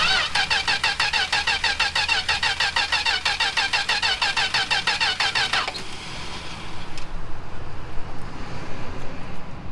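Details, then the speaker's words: 1967 Plymouth Valiant, long stored with old gas, choke on, fuel poured down carb: even starter cranking about three beats a second for six seconds, brief stumble, dies; crank no-start, owner suspects no spark, unconfirmed. "It does not sound like it's got spark to me."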